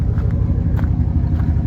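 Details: '98 Dodge Ram 1500 with 5.2 V8 (230 hp) running without a muffler: deep, loud, lumpy low rumble at idle, nothing higher-pitched over it.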